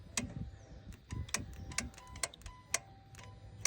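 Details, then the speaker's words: 2015 Dodge Charger Scat Pack 6.4, no-start with all five shifter lights blinking red. Touching the transmission harness gives sharp, intermittent clicks; each click stops the blinking and allows starting. A faulty harness wire is suspected. "Every time that clicks, I set my camera on inside the car. And every time it clicks, the car the the shifter stops blinking and it only turns on the park light and I could turn on the car."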